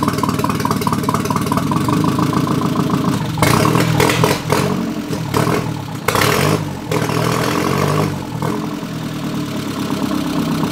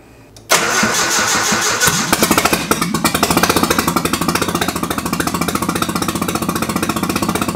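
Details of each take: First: Nissan 240SX KA24E turbo build on MicroSquirt ECU, first start after new bearings, about 900 rpm idle: steady, even idle with smooth pulse, no knocks or misses; engine sounds healthy; TPS reading wrong, tune pending. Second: Nissan 240SX with turbo KA24E, first start on a MicroSquirt ECU, untuned, injector size just corrected in the settings. Engine catches into an uneven, lumpy idle with a stumbling beat, missing one or two cylinders; cause not confirmed.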